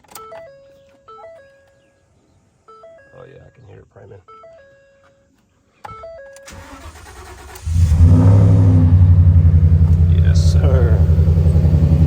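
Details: 2013 Ford F-150 right after fuel pump replacement: cranks briefly, catches cleanly and settles into a steady, even run over background music; fuel delivery sounds healthy, normal start and run.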